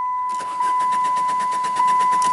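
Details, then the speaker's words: 2001 Saturn coupe that sat about a week, once with a stuck-open EGR valve, now a crank no-start. It cranks evenly and rapidly, about seven beats a second, under a constant high whistle and never fires; compression sounds good, cause unknown. "it's ready to sell crank no start Where Do We Go From Here"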